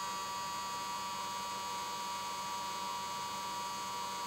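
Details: Xtreamer media player, three months old, fan speed set to Manual 60: loud steady high whine with rough grinding hiss at startup, returning to normal once the main menu appears; cause unknown.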